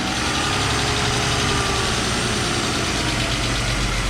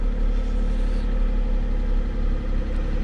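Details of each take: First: Old Mercedes 300SL just started after sitting nine years, still cold: the idle wavers with a slow breathing rise and fall instead of holding steady. Mass airflow sensor or something else suspected, not confirmed. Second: Old Mercedes (called a 300SL) just revived after nine years sitting, being warmed up: even, steady idle with a smooth low rumble and no knocks or misses; sounds healthy.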